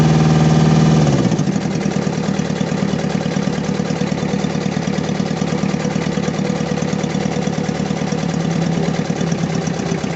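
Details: Diesel engine with low power, black smoke and engine vibration, fuel system needing repair: lumpy uneven idle, shaky beat about three per second, no smooth rhythm; misfire at idle.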